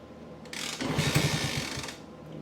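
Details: 1964 Honda C200 pushrod engine revived after sitting for years, carburetors cleaned, timing confirmed, good compression, key and fuel on: one short kick spins the engine with quick mechanical chatter that dies away without firing; turns over but won't start.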